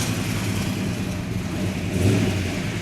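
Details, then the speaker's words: 1967 Plymouth GTX 426 Hemi four-speed convertible fired up for its first road test, with a deep, steady V8 rumble just after start-up, an even beat and a small rise in revs; the engine sounds healthy. "sounds healthy it does"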